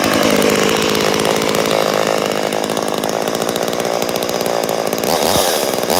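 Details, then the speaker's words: Chainsaw (14-inch bar) cold-started without choke, revving hard with no high idle; a dry, gritty rattle under the engine note from worn crankshaft bearings that need replacing. "I'm happy with the saw but I got to go back in there you can probably hear the bearing noise she needs a new set of bearings"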